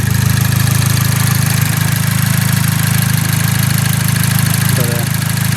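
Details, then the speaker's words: Cobalt SS project car with direct-injection Ecotec engine: smooth, steady idle with light even ticking about three per second from the high-pressure fuel pump, nothing unusual; normal idle. "sounds good I haven't noticed to me unusual noises mister normal if the noise and the high pressure fuel pump noise that's good"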